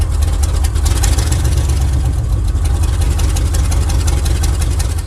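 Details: 1979 Chevrolet C10 V8 after plug replacement, timing believed correct, no blue smoke: heavy deep idle with stumbling uneven lope and dropped exhaust beats, missing on several cylinders; root cause not found.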